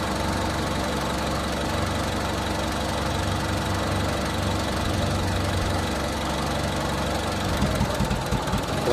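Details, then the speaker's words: 2000 Honda Civic VP sedan 1.6L SOHC, engine hot, with water drizzled around the distributor: an even idle for about seven seconds turns ragged, stumbles and dies. The misfire and stall come from moisture inside a cracked distributor cap. "see that look at that just died out so yeah we can tell that somewhere in the general area there seems to be an issue where something over here gets wet and really doesn't like it"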